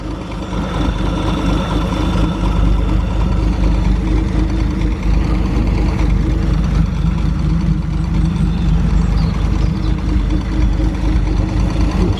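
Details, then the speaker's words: 1937 Talbot 3 Litre straight-six warm idle, water temperature mid-70s, oil pressure okay, after previously sticking valves were freed; low, even rumble with no knocks, misses or ticks, sounding reasonably healthy as heat circulates. "sounds reasonably healthy just does it so much good to get some heat round because obviously the valves are sticking before i freed them up"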